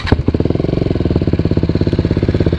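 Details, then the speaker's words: Single-cylinder motorcycle with original Akrapovic exhaust after repair and repacking: loud, hard-edged thumping idle, much harsher than before the silencer blew out; loud exhaust note at idle. "Nah kalau sekarang suaranya nih kayak gini nih bustelle suara keras banget"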